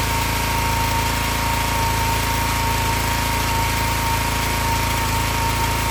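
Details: Excell XR2500 pressure washer (DeVilBiss), 5 hp Honda engine, running after its bad spark plug was fixed (it had stalled after 15 seconds; carburetor was clear apart from slight bowl debris). Steady even drone at working speed, no misses or surging: normal running.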